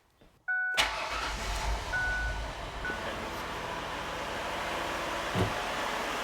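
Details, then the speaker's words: 2007 Ford Freestar after lower intake manifold gasket replacement: short chime, engine cranks, catches quickly and settles into a steady, even idle. "There we go. Sounds good. Make sure there's no misfires."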